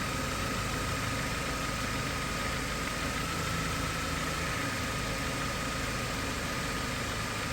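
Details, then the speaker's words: 2013 Dodge Avenger with codes P0339/P0335 idling: brief stumble like a slight misfire each time the crankshaft position sensor signal glitches on the scope. "and you can hear it whenever that glitch right there happened and that you can hear the engine change and it's kind of like a misfire sounds like a misfire slightly"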